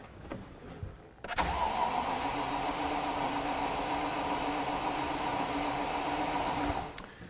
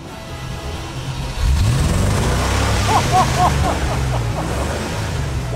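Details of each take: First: 1986 Range Rover, garden find with new fuel lines, filter, pump and sender: starter spins the engine evenly for about five seconds without a single fire despite confirmed spark and a working pump; crank no-start, fuel delivery suspected. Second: 1986 Range Rover after refurbished fuel tank, new fuel lines, filter, pump and sender: cranks briefly, catches and settles into a smooth even run with a couple of clean revs; runs beautifully.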